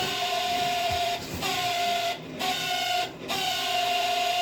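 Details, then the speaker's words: Camp Chef SE Smoker Pro whose auger had stopped spinning after being left in the rain: the auger motor gives a steady high whir with short dropouts and a rough buzzy edge. It is working again but noisier than before; cause unclear. "Right now it's working, but it just doesn't sound great. Like it's not sounding like that before."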